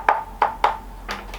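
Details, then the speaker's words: Planet X E130 used carbon frame tap test: three crisp taps ring with the same clear tone, no dull dead spot that would mean filler; uniform sound, frame solid with no sign of damage. "what you're looking for is any dead spots or bits that sound solid so if if that bit there sounded like that bit there I'd be getting wooded because it means there's a lot of filler in there"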